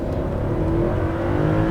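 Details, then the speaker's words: D2 Audi S8 with a 360hp 4.2 naturally aspirated V8, full-throttle 0-60 launch, stability control off, brake-boosted: pulls hard, pitch climbing evenly to just over 7,000 rpm, slow gear change, 6.79 seconds; no misfire or knock. "Revving all the way out to just over 7,000 RPM. Slow gear change though. 6.79 seconds."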